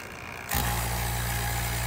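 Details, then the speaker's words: Restored Robinair (Bosch) CoolTech 15600 6 CFM two-stage vacuum pump pumping vacuum with no leak: smooth, even low hum, steady tone, no knocking or rattle; normal running. "this is kind of a typical operating noise when it's pumping the vacuum and there's no leak"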